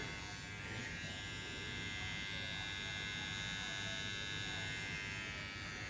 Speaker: These bad boys are pretty quiet. I like them.